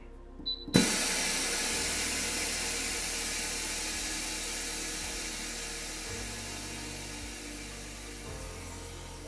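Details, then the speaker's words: Nasan B2 Max bubble-remover autoclave used with Supa Lite Max laminator for phone screens, run at 0.6 PSI: once the vacuum stops, loud airy hiss starts and tapers over about eight seconds as the chamber vents. Normal pressure release hiss. "Once the vacuum stops, you will hear it just hiss all the air out like so."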